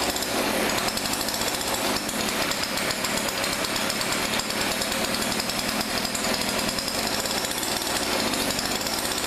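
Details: Thrift-store Weedeater PE550 edger two-stroke: a steady, fast, even buzz with no stalling or surging; normal running.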